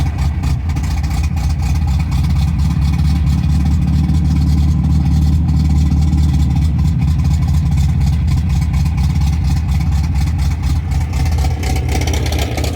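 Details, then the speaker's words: MGB, warm after highway run where it lost power above 3000 rpm, choke pushed fully in: loud uneven low idle stumbling and hunting, barely stays running without choke; fuel starvation suspected, cause not confirmed. "all right i'm not happy i don't know why i need choke to keep this running listen to it it sounds like it sounds horrible"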